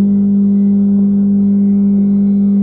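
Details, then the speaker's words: Stepper motor run at 60 RPM via step-and-direction drive from a Pico: steady hum near 200 Hz with a faint soft knock once per revolution, from uneven step pulse timing. "at that slow speed I could hear the the knocking for each Revolution"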